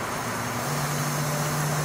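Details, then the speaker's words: 24 V high-head-pressure PC water-cooling pump run flat out to purge air bubbles: steady loud droning hum holding a low tone; normally it runs at about medium speed, and this loud pump noise comes at full speed. "So when you have a high head pressure on your pump, it's able to push water even faster through all the fittings and everything, pushing out air bubbles quickly and efficiently. And yes, it gets loud, as you can hear it again."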